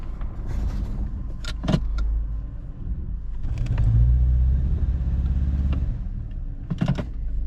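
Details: 2013 Subaru Impreza, first run after an engine swap for a timing failure: low rumble that swells and sags unevenly with clattery bursts, and heavy smoke. Owner suspects it sat too long; rough running.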